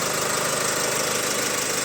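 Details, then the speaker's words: Opel Insignia, about 2020, 1.6 B16DTH diesel, 136,000 km, hot, before repair: start with a fast metallic chatter over the engine note that won't settle; stretched timing chain and worn crankshaft drive sprocket suspected. "Вот вот вот это страшная Тема и Не успокаивается глуши её быстрей"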